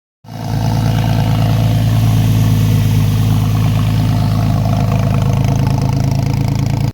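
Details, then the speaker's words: Porsche 996 911 / Boxster 986 flat-six with cam issues and vacuum leaks, tested before engine removal: rough, uneven idle with a shaky pulse around four beats a second; cam timing deviation, owner expects a destroyed chain tensioner. "getting ready to take the cam cover off I bet you there's going to be a destroyed cam tensioner due to the Diagnostics we did before the engine was removed"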